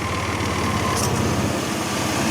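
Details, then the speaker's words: 2000 Chevrolet Blazer 4x4 with the 4.3L V6: even idle with no knock or valvetrain noise, but a faint, quick puffing tick in time with the firing. A slight exhaust leak is suspected, not confirmed. "now the only mechanical thing which is probably an easy fix I can hear sounds like a slight exhaust leak"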